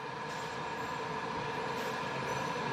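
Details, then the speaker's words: Furrion tankless RV water heater (FR48SR) newly installed on a 2015 Grand Design Reflection fifth wheel, igniting when the hot water tap opens with gas supply on. Steady even roar with faint constant whistle, no sputtering or popping; burner lit, running normally, water heating quickly. "And I hear our water heater kicking on now. I hear it igniting."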